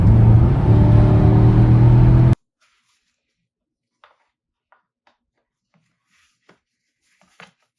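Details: Porsche engine that was chasing a cylinder 3 misfire (P0303), diagnosed by swapping components: a steady, even engine note with no stumble or skipped beats for two seconds, then silence; running smoothly.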